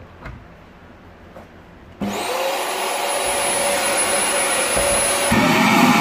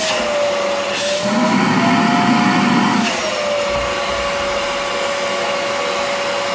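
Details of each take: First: Rowenta Compact Power Cyclonic vacuum cleaner whistling: motor starts with a rushing roar and a thin high whistle holding steady over it; the problem is thought to be airflow rather than the motor. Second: Rowenta Compact Power Cyclonic vacuum cleaner: steady motor whine with a smooth rush of air, pitch dipping briefly under suction then settling; healthy running with no whistle, after the motor was removed, checked and refitted.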